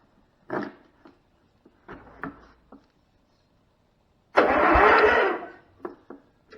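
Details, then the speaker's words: 35-year-old Cub Cadet Model 1210 garden tractor, sitting about 10 years. Starter refitted: clicks and knocks, then about a second of strong, even whirr turning the engine freely. The starter works. "She works. That cranked the engine."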